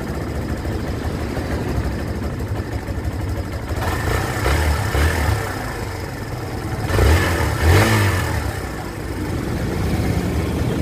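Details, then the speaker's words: 2023 Kawasaki Barako 2 with hard starting, carburetor adjusted to 3.5: slow unsteady idle surging briefly then sagging; idle (minor) set too low and still needs adjusting. "na-adjust na natin ng 3.5 to pero mababa ang minor nito i-adjust din"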